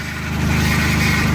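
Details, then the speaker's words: Engine just installed in a replacement job, first start at idle: rough, buzzing whine from the power steering pump running low on fluid that was lost during the swap, which fades as fluid is added; an exhaust leak is also heard. "Oh, that's power steering, guys. Remember I lost power steering fluid, so I need to add some power steering fluid."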